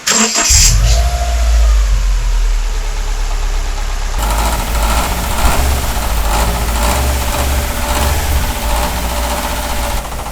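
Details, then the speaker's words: Subaru EJ20 Bugeye WRX misdiagnosed by another shop as rod knock idles with an uneven slapping clatter from the timing belt; failed tensioner, noise disappears when extra tension is applied. "what i'm going to do is just apply a little bit more tension to the tensioner up on top just like that and it's gone and it's gone right there all day long"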